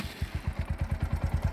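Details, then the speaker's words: Bajaj Pulsar NS125 single after its 4th service and oil change, just started at idle in neutral: steady beat with a light "kit kit kit" tick over it; owner calls it a bad engine sound, cause not confirmed. "यह आपको सुनाई दे रहा होगा। Kit kit kit kit kit."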